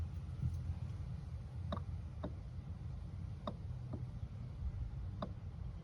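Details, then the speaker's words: 2004 T1N Sprinter, engine off, with 12 V jumped to the recirculate vacuum solenoid. A few crisp clicks show the solenoid switching normally; the flap won't close without engine vacuum. "the vacuum solenoid closing in there, so you know it'll work."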